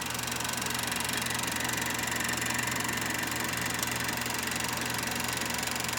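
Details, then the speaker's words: Kodak Pageant AV-126-TR 16mm sound movie projector running film with motor switched on: fast, even mechanical clatter around 200 beats a minute with steady hiss; mechanism running smoothly and normally. "first you have to do is turn the switch onto motor and then to start first you got to do is focus and then and then it's operating it's working then you can watch your film"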